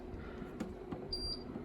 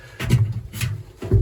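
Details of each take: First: Two-year-old Candy heat pump tumble dryer, plugged in during cold weather and set to cotton: short clean high beeps with each button press; panel responds normally, though the drum clunks and sticks at switch-on. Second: Candy heat pump tumble dryer, drum burst and patched with chemical metal: irregular low clunks and scrapes as the drum is hand-turned, catching at points; owner suspects the glides or ball bearings.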